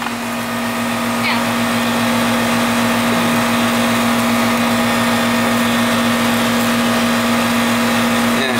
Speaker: Hear it? Compressor starting. That's what we want.